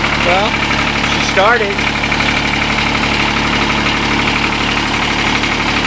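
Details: Kubota D722 diesel on TG1860 riding tractor, idle over a year, old fuel, dead alternator: settles straight into a steady, even idle with light clatter, no misses; healthy cold start.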